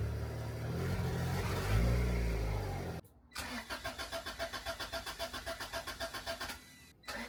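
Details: Turbo Honda Integra: starter cranks, then an uneven pulsing run at about four beats a second that never picks up, bogging and not revving, after resoldering the new fuel pump's wiring; pump was not heard priming earlier. Cause unconfirmed.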